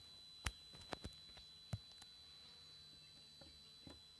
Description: TriStar TS-MPPT-60 squealing. The squealing lasts for about 15 minutes, usually first thing in the morning and last thing at night, but we've now noticed it squealing loudly in the day as it transitions between MPPT and Absorption stages.